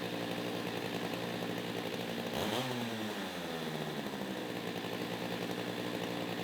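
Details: Stihl MS361 chainsaw after muffler mod (reduced back pressure): loud two-stroke holding high revs with a brief dip and recovery mid-clip; owner suspects leaner running needing high-speed carb adjustment, unconfirmed.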